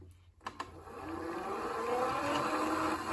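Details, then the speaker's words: FXB Fish 16-inch 24 V electric bike on high mode, tested with a known-good battery: motor whine climbs slowly from a low hum instead of snapping up; slow takeoff likely from loose chain and binding brakes. "that one just don't it don't seem like it's getting the power right away at all"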